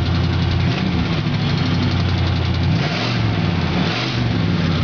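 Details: 1977 Oldsmobile Cutlass Supreme Brougham, original 350 V8, high mileage, much new engine work: deep steady rumble with an even beat, no stumbles or knocks; healthy idle with good compression.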